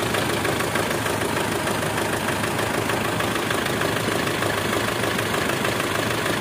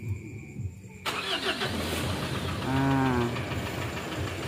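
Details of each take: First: Mitsubishi Strada Triton diesel, possibly around 2008, with hard starting, blow-by and smoke at the oil filler: a steady, sharp tek-tek knock about twice a second over a loud idle. It changed when injector number two was unplugged and is heard as piston slap on cylinder two. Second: Mitsubishi Strada Triton common-rail diesel after injector cleaning, previously hard starting with long cranking and white smoke: starter cranks briefly, catches within a second and settles into steady idle; white smoke gone, though tapping noise remains, suspected at injector number two.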